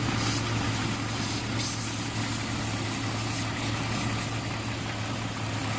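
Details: 2001 Jeep Cherokee after the high-pitched whistle was traced, by spraying water, to a leaking vacuum line. Steady, even idle hum with no persistent high whistle: the intake sounds sealed and the engine idles normally.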